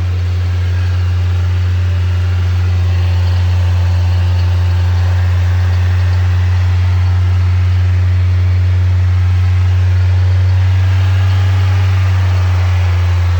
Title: NB Miata 1.8 VVT possible rod knock?